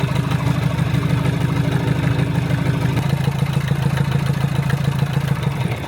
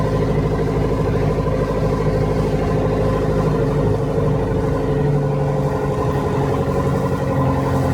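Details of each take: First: Land Rover Series 3 109" (1975) with a Perkins 4.203 diesel, after head gasket replacement and valve job: steady, even idle with light injector clatter and no knocks or misses, a normal idle. The engine is still somewhat noisy on the road. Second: Perkins 4.203 diesel in a 1975 Land Rover Series 3 109" idling with an uneven, chuffing beat under its clatter; blown head gasket, later confirmed when the head was pulled.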